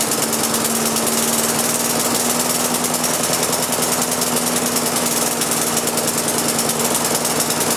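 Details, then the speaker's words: Lawn mower engine converted to propane with added small pressure regulator, fuel valve opened fully after start: steady even buzzing note holding one speed, no hunting or misfires; governor holds rpm correctly on propane. "the fuel pressure regular takes over the governor on the engine sees that extra Fuel and it comes up and sets the RPM at the right spot so you still are fully govern and whatnot"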